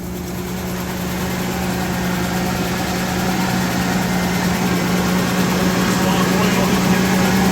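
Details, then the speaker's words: Ford F-350 with a replacement 6.2 V8 fitted after the original blew, first start: steady low idle with a light, quick ticking about four per second over it; a small exhaust leak. "Exhaust leak? I think a little bit, yeah. Little exhaust leak."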